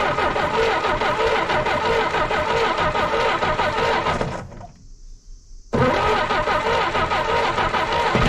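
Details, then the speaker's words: 1964 Jeep CJ5 barn find with a previously stuck engine, early start attempt: it runs rough, stumbles, cuts out and dies. Owner can't tell if it's getting too much fuel or not enough. "oh oh she's dying down dying down of dying well she stumbled and died there but man it ran that's the longest I've heard it run"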